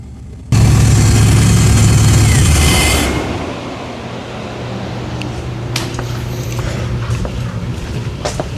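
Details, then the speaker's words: Freshly assembled V8 in a shop build, aiming for about 800 hp: fires and revs with a deep rumble, then settles into a lumpy but steady idle; sounds good, runs good, normal running. "too bad. Sounds good, runs good. Should be pretty spicy when it's done."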